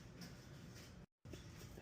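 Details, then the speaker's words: 2019 Chevy Trax, 90k miles, spindle removed: gritty, grinding humming rumble as the worn wheel bearing hub is turned by hand; new bearing silent and humming gone on the test drive. "So, there's the issue. Makes a whole bunch of noise. Lot of humming noise."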